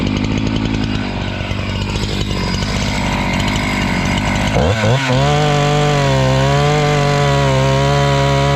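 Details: Husqvarna 268 chainsaw, after repair work for a complaint that it stalls once warm and won't restart (air intake checked, a part replaced), settles from an uneven burble into a steady high buzz holding pitch without bogging or stalling; running properly.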